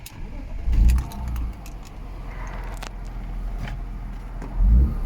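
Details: BMW E36 M3 S50B32 after fixing vacuum leaks, redoing pulleys, deleting the secondary air pump and topping up coolant: catches promptly, blips cleanly, idles steadily and revs crisply. Normal, smooth running.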